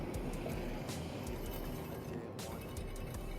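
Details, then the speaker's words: E-bike hydraulic disc brake, wheel spun in the air: faint light swishes about four times a second as the pad brushes the rotor; rubbing, possibly a bent rotor, to be fixed by loosening and realigning the caliper. "and as you can hear, there is a little bit of rubbing on this one, so we're gonna adjust that to make it stop rubbing. It may just be the bent rotor, but it is very close."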